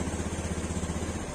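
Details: Honda Scoopy fuel-injected scooter idling after fitting a genuine AHM fuel pump and reconnecting the fuel hose: even, quick low putter, no misses, rattles or surging; normal idle.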